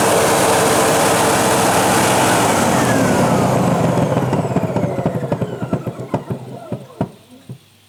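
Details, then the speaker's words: Sebo Professional G1 upright vacuum with brush removed, after an attempted repair that didn't fix it: clunks about three or four a second while running, slowing as it winds down; owner suspects the motor. "makes that clunking sound still. Makes me wonder if it's the motor now then."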